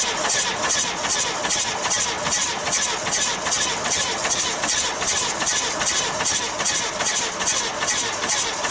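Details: 1966 Austin London taxi, first start in years: sharp rhythmic chuffing about two to three a second as air blows back out the intake; suspected intake valve problem, valve cover pulled next.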